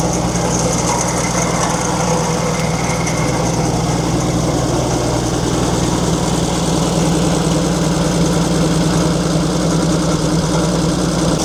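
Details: 1942 Chevrolet Blitz CMP 4WD truck, 216 petrol straight-six: uneven idle with dry whirring grind over exhaust beat; owner points out water pump noise, engine later boils, pump seemingly not pumping.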